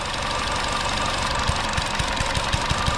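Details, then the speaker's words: Chevy Sonic idling with a lean 171 code: a steady airy hiss as air is sucked through the disconnected EVAP purge valve, which should be closed. The valve may be the cause of the lean condition and is to be replaced. "Okay guys, so what we did here is we disconnected this, and you can hear the hissing noise."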